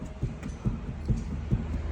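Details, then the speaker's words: Rear wheel rocked by hand: five dull, low thuds, about two a second, from play in the rear wheel bearing, which is loose but not rumbling; it mimics blown shocks, fixed by adjusting with a 24 mm wrench. "Ó o rolamento não está roncando não está roncando porém ele está com folga então ele vai ficar batendo vai ficar fazendo um barulhão"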